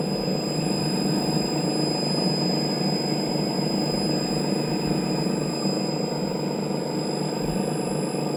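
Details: TruHone HR8 honer motor running with a rough, irregular low knock under a constant whine, like a worn bearing; owner suspects moisture entered past the front cap seal causing internal corrosion, unconfirmed.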